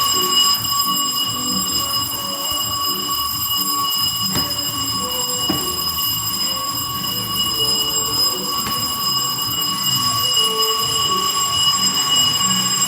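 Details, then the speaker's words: Radiante no-frost refrigerator after repair of a damaged thermal fuse, bell wired to the defrost heater leads: steady high bell rings continuously over a faint hum, draw 0.90; defrost heater on, normal cycle, unit tested OK. "Tenemos 0.90 de consumo. Enciende la campanilla del deshielo."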